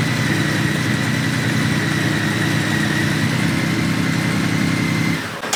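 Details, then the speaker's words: 1997 Honda Valkyrie after sitting 10 years, restarted with no choke connected: starts quickly, even steady idle with smooth low beat, no knocks or misses, clean shutdown; normal idle. "Let's start it up again. This is how quickly this thing starts up. That's it."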